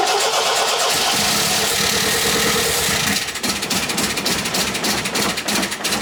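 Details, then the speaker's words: MGB Roadster under restoration: cranks and catches only with easy-start help, then ragged, uneven idle with irregular pulses, not running on all four cylinders; new spark plugs to be tried. "oh god well you just seen that it started again um didn't want to start but with a bit of help with the easy start i've managed to get it going doesn't sound like it's flying on all four cylinders at the moment"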